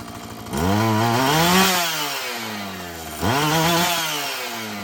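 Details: Husqvarna 445 two-stroke chainsaw that bogged when lean, restarted after richening the high-speed screw, before cleaning and final tune: revs up twice and falls back steadily without bogging. Running cleaner; owner expects it to keep improving.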